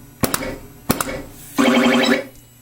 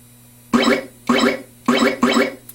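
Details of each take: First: Atari Space Riders pinball: a working pop bumper on the same machine gives two sharp solenoid thwacks about half a second apart, then scoring chimes, showing normal firing while the other bumper is dead. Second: Atari Space Riders pinball: four quick scoring sounds as the ball hits the pop bumper skirt, registering points, but no solid bumper thump because the solenoid isn't activating; its fuse was found blown.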